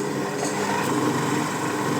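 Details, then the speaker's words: 7x14 mini lathe (Vevor-type) with new spindle bearings after the rear bearing preload was reduced: smooth, steady whir at constant speed with no growl, rumble or ticking; spindle now running normally. "Bueno, chicos, ahora sí que sí. Ya no suena nada horrible el zorro."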